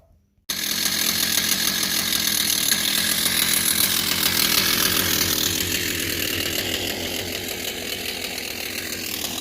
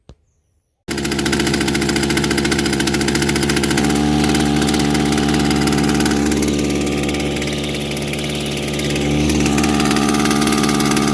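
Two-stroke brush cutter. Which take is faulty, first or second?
second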